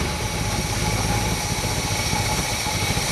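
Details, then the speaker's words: 1958 Chevrolet Bel Air 350 V8, fed fuel from the tank: steady even low rumble holding constant speed without stumbles or misses. Normal idle, running on its own. "all right so we're pretty happy she fired up she ran on her own great job"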